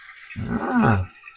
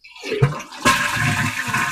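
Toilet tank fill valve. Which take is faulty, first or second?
first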